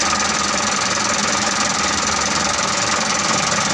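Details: Mitsubishi Canter 125 diesel truck that was hard to start, running after the injection pump timing was set: rough but steady clatter at a fast, uneven beat with lots of hiss. It runs now, though not perfectly.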